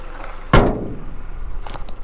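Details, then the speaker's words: 2016 Ford Transit Connect XL cargo van, about 65,500 miles, small four-cylinder engine, looks well maintained: after one sharp thunk the engine settles into a low, even, quiet idle with no knocks or misses, a normal smooth idle. "it does have a really smooth consistent idle that sounds good"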